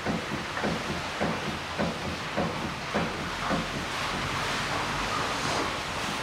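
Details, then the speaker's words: Mitsubishi ASX 1.8, 2013: dull knocks about every half second while the car is rocked side to side on the ground, fading when rocking stops. Worn front stabilizer links; stabilizer bushings are fine. "как они стучат. Здесь, в принципе, даже и перекаты не нужны. Но определяется это покачиванием автомобиля из стороны в сторону."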